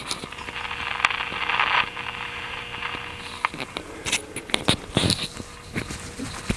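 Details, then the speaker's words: RPC Airmaster radio after an earlier cleaning: irregular sharp crackles and pops over a quiet background, steady at the moment; intermittent crackling, suspected noise on the AVC line near mica cap C6, cause not confirmed. "i cleaned the fuel call last time with this mysterious crackling that comes and goes right now it's being pretty steady sounds like"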